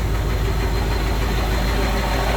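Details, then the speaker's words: Spryte snowcat "Rusty" turbodiesel, with new OEM Zexel injectors and copper crush washers probably helping seal the indirect-injection cylinders: steady, even low diesel rumble with smooth regular beat, nothing knocking; idle really nice now, running well. "So, but it seems to be running really good. Idle's really nice now."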